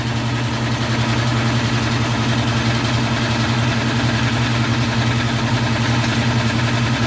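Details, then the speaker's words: Power Craft 3hp air compressor, one month old, after warranty pump replacement for a chug-chug noise: loud, even motor hum and pump rush held steady, no chugging or knocking; normal running, though the flywheel looks slightly warped. "So wala na yung chug-chug-chug na tunog na parang thread. So ayan, tahimik na. Normal. Yan yung normal na tunog mga Kalisto."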